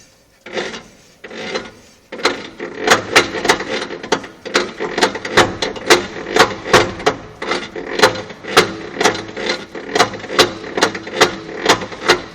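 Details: 1958 Plymouth with 318 poly V8: sharp, even ticks about twice a second over little engine rumble; an unusual ticking from the engine, cause not pinned down.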